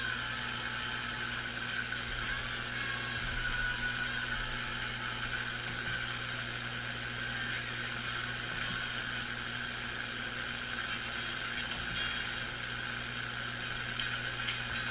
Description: I thoroughly test the Airline vacuum tube radio with a SiriusXM satellite radio to replicate the audio connection arrangement that results in an annoying hum.